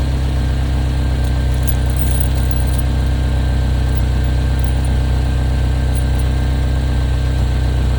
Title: Chevy Equinox Notorious Exhaust Leak #automobile